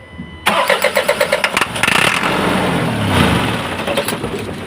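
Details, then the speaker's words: Isuzu 4HL1 diesel, hard starting, only cranks: slow rhythmic cranking about a second, fires on starting spray and settles rough and shaking; won't catch without spray, injectors suspected worn, to be checked. "Ayan nanginginig siya mga kaayos nangangatal so gagawin natin muna payos ah iche-check po natin yung kanyang injector po no yan kasi namaman po siya eh Tsaka hard starting po siya ayaw niya umandar no"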